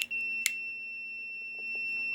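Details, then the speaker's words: Hampton Bay 3-speed ceiling fan with 4-wire capacitor, stuck on high: continuity tester tone stays unbroken through every pull-chain position, with line and terminal 1 always connected; the speed switch is bad. "one and number one are still connected so that tells me that the switch is bad no matter what position that it's in"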